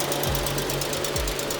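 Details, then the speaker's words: Petrol engine at auction, long-stored, smoking, just started and idling with a loud fast steady tick over the hum; owner suspects noise from sitting and hopes it quiets as it runs. "yeah it's running on its own now there loud picking here sure you can hear that I'm a little concerned about that but I know that these have a tendency to make a noise"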